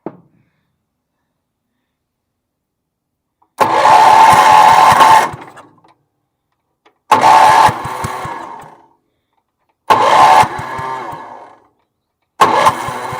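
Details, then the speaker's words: Bargain Wheel Horse 308-8 garden tractor, kill wire unplugged and sprayed with starting fluid: four short bursts where it catches and roars for a second or two, then fades each time. Fuel starvation; runs only on starting fluid. "okay I think we put some gas to this she's gonna run woohoo nice"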